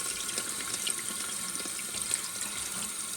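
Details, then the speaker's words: Toilet after its broken, overfilling fill valve was replaced with a new one: steady hiss of water refilling the tank as the supply valve is opened, with no gurgle, sputter or hammering, filling normally and then stopping. "Now we are ready to test it. So slowly we're gonna turn on this water supply valve. Put in the water."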